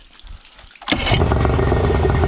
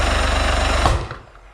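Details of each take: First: Suzuki DT65 outboard after replacing fuel pump (found mounted upside down) and ignition key: fires instantly and settles into steady, even low burble without stumbling or surging; now runs properly. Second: Non-running Suzuki DT65 outboard with power, fuel, compression and spark but spark timing suspect; rapid even chugging then one sharp bang as it dies, a bad backfire with raw fuel smell out the exhaust.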